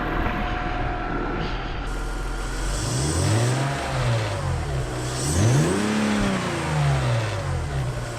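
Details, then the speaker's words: BMW M54 engine, candidate for an E21 track car swap, not run for over a month, with the air filter box disconnected: it idles smoothly, but revs rise only after a lag and an induction noise following throttle. Delayed rev response, cause unconfirmed. "So there does seem to be a bit of a delay after pressing the accelerator to the revs rising. You can hear there's an induction noise and then the revs go up."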